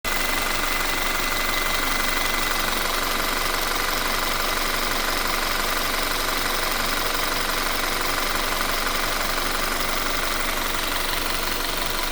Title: 2017 Audi Q5 Timing Chain Noise?